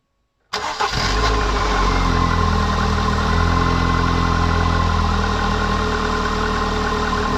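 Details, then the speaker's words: MGF 1.8 K-Series engine after replacing leaking exhaust manifold gasket with multi-layer steel gasket: starts cleanly and settles to smooth even idle, no puffing or ticking at manifold; slight smoke from release oil sprayed on manifold; normal idle. "Sounds so much better. A little bit of smoke coming from the release oil that was sprayed on the manifold."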